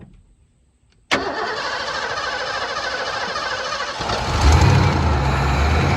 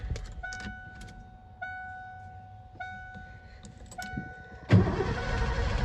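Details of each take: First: 1988 Ford F-250 EFI truck after sitting over a decade, with fuel poured down one intake hole. Silence, then a crank and catch, and the engine settles into a steady, even run, picking up slightly as it's fed: engine starts and runs. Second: 1988 Ford F-250 EFI, sat over a decade, with 5 gallons of fresh fuel and the fuel pump confirmed running: door chimes, then the starter cranks steadily but it never fires. Crank no-start; bad fuel clogging injectors suspected.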